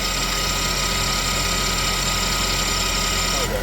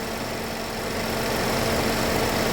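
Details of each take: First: GMC engine after a head gasket redo, idling with the high-pressure fuel pump unplugged: fast, uneven ticking with a thin high whine; a fuel pressure code had returned. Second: GMC engine after redoing the head gasket, idling: steady, even idle with a light fast ticking from the high-pressure fuel pump on top, which is normal. Nothing knocking or missing, runs great; warming up to check for coolant bubbling and heat.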